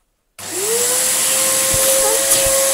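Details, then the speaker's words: Samsung SU3364 upright vacuum cleaner running: steady motor roar with a thin high whistle on top and a gliding tone near start-up, an air leak somewhere, though suction remains. "sounds like there's a huge air leak coming from it somewhere"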